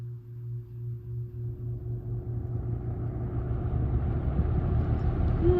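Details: 1996 Lakewood 223 3-speed 20-inch box fan, third-gen, Lakewood McMillan motor, before restoration, starting from rest on low: gently rising hum and whoosh, no click, scrape or buzz; no startup sound. Normal start-up.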